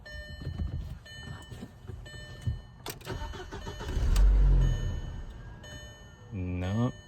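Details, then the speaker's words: 2004 VW Passat: the starter cranks and the engine catches for barely half a second, then dies at once. The immobilizer is not recognizing the key. The EVAP sensor was already replaced, and a locksmith later reprogrammed the key chips. "it turned over and the engine started, but it shut right back off."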